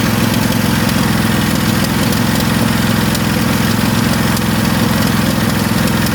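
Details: Craftsman lawn tractor twin, choke still on, fuel leaking, suspected from carburetor: lumpy, uneven idle with gaps between firing pulses; one cylinder dead, as it has run lately.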